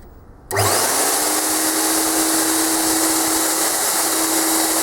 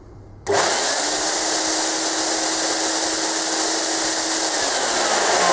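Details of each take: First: Premier Clean Monarch 650 twin-motor ducted vacuum, about 10–11 years old, after replacing both motors with new Ametek units: motors spin up within a second to a steady high whir, clean hum, no grinding or rattle; running normally. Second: Premier Clean Monarch 650 twin-motor ducted vacuum, about 10–11 years old, low suction complaint: rising whine and airy rush with one motor tone; left motor works, right motor failed from wear and only spins from the left's suction.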